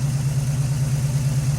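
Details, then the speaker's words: 1981 Cutlass with a 403 V8, first start in 2–3 years, idling after the fuel pump problems: deep, even burble with no ticks or stumbles as it warms. Thermostat opening at about 190°, good oil pressure. Normal idle. "Alright, after many problems with the fuel pump not taking in fuel, we got it idling. Looks like our thermostat starting to open."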